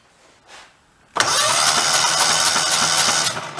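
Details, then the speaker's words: Donor engine for a 2000 Terramite T5C backhoe, spun over with plugs out (plug gaps found bridged): fast steady puffing, one puff of each pair softer; one cylinder on one side has weak compression, before a compression test. "one on this side is weak you can even hear it it sounds different"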